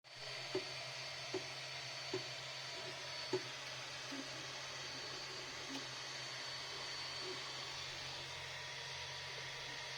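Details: Ender 3 V2 printing PLA at 200–210°C on its last layer: sharp clicks about once a second over the fan hiss; extruder seems unable to push filament forward, nozzle apparently not clogged, also happens after 1–2 hours on other prints; cause not yet found.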